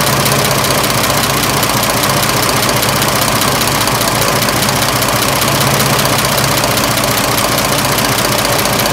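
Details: 1926 Oakland engine, back running after 75 years, warm idle (much quieter when warm): steady even pace, no knock above the general clatter; slight water pump wetness, healthy idle.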